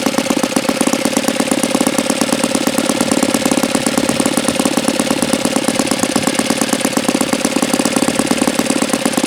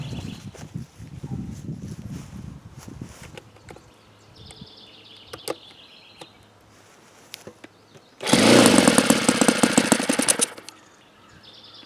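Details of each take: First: Saito FA-82a four-stroke model engine, very low-time and not fully broken in, run untuned; fast, even popping idle with a steady rhythm and no misses or stumbles: idles cleanly, normal idle. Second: Saito FA-82a four-stroke model engine, very low hours and not fully broken in: loud full-throttle bursts waver and won't settle near peak RPM, leading to a break-in run alternating rich and lean settings; unstable near peak RPM.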